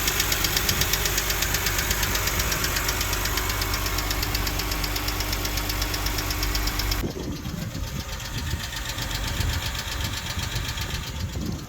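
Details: 2006 BMW 330i N52 petrol six idling before the fix: fast, light, even ticking on top, the infamous N52 ticking from sticky hydraulic valve adjusters.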